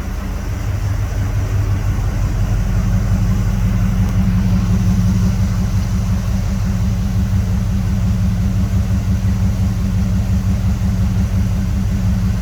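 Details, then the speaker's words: 1979 Chevrolet Camaro Z28 one-owner survivor, under 12,000 original miles, started semi-regularly over the years; deep, steady V8 exhaust burble at idle, slight belt noise from the A/C compressor, no engine noise at startup, no smoke; normal idle. "we thought we'd take a moment and just let you listen to the engine nice and quiet get a little bit of belt noise here uh over off the compressor as i zoom in you can hear that but no engine noise at startup motor's nice and quiet she doesn't smoke"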